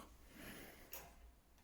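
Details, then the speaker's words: Mobygum Xenon R electric scooter after tyre/inner tube replacement: faint light ticks as the wheel spins, the brake disc rubbing the caliper once per turn; the caliper needs adjusting. "on va devoir évidemment faire un petit réglage au niveau de l'étrier parce qu'on voit qu'on fait on entend qu'on a un frottement"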